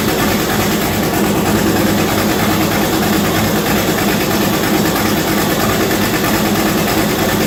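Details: V8-swapped Chevette, first start with radiator hoses installed, no turbo yet and mass airflow sensor unplugged: loud, steady, low lopey rumbling idle with no knocks or rattles; runs smoothly.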